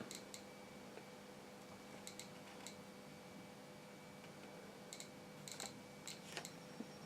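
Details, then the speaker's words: Repaired 1960s–70s Soviet DP-5A Geiger counter near a uranium ore (pitchblende) sample: sharp irregular clicks over a faint hum, randomly spaced, so the counter detects and clicks properly. "so that's that's clicking away now that's just a little piece of electric i had lying around just stuck him in the pro the prongs and there you go so yeah it's working pretty good as you can see"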